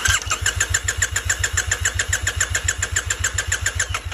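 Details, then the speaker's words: Triumph Bonneville T100 that cut out when hot (suspected heat-related coil fault), cranking with a spark plug tester on the HT lead: steady starter churn at about three and a half compressions a second, never catching. No spark. "as you can see, there's no spark being made within my little tester here, which suggests that there's no power coming through the HT lead."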